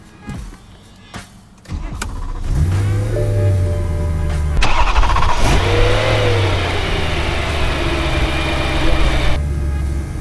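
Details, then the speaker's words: Rebuilt BMW E92 M3, engine start after the rebuild. The starter catches within a second, then a deep, steady idle with a brief clean rev; the exhaust sounds normal. Healthy start and idle. "we go fires up everything sounds good sounds normal let's listen to that exhaust"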